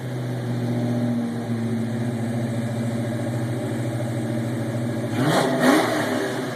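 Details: 1993 Mustang LX V8, custom cam, ported intake, X heads, recorded inside cabin with windows down in garage: lumpy idle sweeps cleanly up to about 5,000-6,000 rpm and drops back, no misses; healthy free revving.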